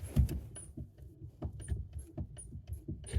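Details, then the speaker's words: 2016–2025 Suzuki Ignis at around 15–16,000 km: short, high chirping squeaks with each clutch pedal stroke, from the dry clutch linkage in the engine bay; the service bulletin calls for greasing it. "It says something like, if the customer complains, if the clutch is, you know, rough or unsmooth or squeaky, this is the procedure you got to follow."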